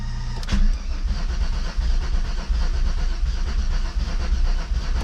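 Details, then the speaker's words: VR6 turbo Mk3 wagon after fuel pump swap, fuel primed: heavy steady cranking with a metallic clank but no firing; owner doubts the fuel pump and suspects dead cylinders, starter popping off, or internal engine damage needing teardown. "closed mmm so maybe it's not the fuel pump and still wanted a crank crank crank and it should be getting feeling over that field what works"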